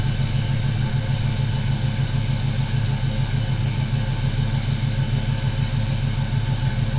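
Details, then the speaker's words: GMC Sierra with 5.3 V8 swapped in for 4.3, freshly tuned, cold idle: steady even idle with slightly lumpy deep exhaust rumble, no knocks or ticks; healthy mild-cam idle. "You can hear a little bit of the low. Like I said, nothing crazy. I didn't want anything crazy."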